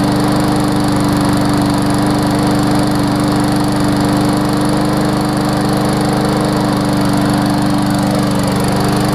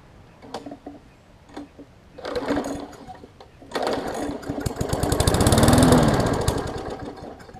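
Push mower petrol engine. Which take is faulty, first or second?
second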